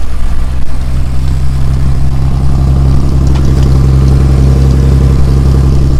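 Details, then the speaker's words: 1963 Ford Falcon Futura hardtop with Cherry Bomb exhaust, started up: loud, deep exhaust rumble holding a steady fast idle without settling; idle speed set too high, needs lowering. "we're gonna have to drop that down some I'll leave you guys back here we'll see how it sounds"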